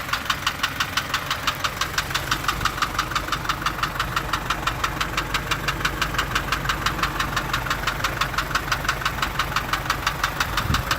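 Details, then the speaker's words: Isuzu light truck engine ticking constantly from startup: sharp, even ticks about three per second over a steady idle. A worn or pitted camshaft lobe tapping the rocker or tappets is suspected, not confirmed. "تولي ما عادش عندها كاميرا، تولي تضرب هنا تكسر، تكتك، تبدا تكتك على البوسوار او او على التكهات."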